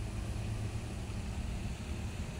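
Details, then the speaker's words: Regency metal-blade electric fan brought in totally dead, plugged in after checking the speed-selector switch: steady low hum, even unbroken drone without rattle or ticking; motor spins smoothly, fault traced to a switch speed contact sometimes not connecting. "Nah, kita colokkan dulu ke listrik. Colokkan ke listrik ya. Ya, ternyata berputar."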